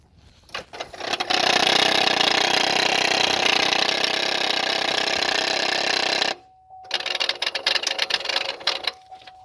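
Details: Chevy/GM 1500 with a 5.3L engine at start-up: fast, dry buzzing chatter about four clicks a second, stopping briefly then returning in uneven bursts. Suspected throttle body chatter; a gasket is mentioned as part of the fix.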